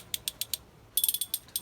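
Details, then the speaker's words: Lewmar winch from 2003 after cleaning with white spirit and evenly greasing pawls and gears. Crisp evenly spaced clicks, then quicker run; clean even ratchet, much nicer sound than before. "Oh, can you hear that? But that is a much nicer sound. Nice, even, not too much on there."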